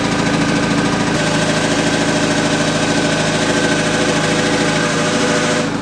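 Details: MK2 Golf with swapped 1.8T engine and 02J transmission: steady idle with a light uneven knock about two to three per second; goes away with the clutch pedal down, owner suspects flywheel or clutch, unconfirmed.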